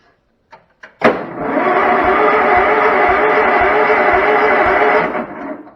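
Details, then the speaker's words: 35-year-old Cub Cadet Model 1210 garden tractor, sitting perhaps 5 to 10 years. Starter refitted, jump pack on battery: even, brisk cranking at about two turns a second for four seconds, no grinding or clicking. Engine turns over normally. "Okay, it's turning over the engine."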